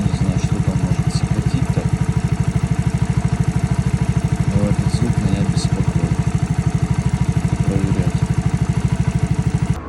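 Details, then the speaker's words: Alfa engine at idle: sharp even ticking about three times a second, sounding like engine knock; piston, pin, rod and crank checked with no play, actual cause a leaking muffler/exhaust joint. "Когда собирать начал это оказывается глушак Короче вот такой звук похожий [ __ ] на цокот от глушителя шёл и всё"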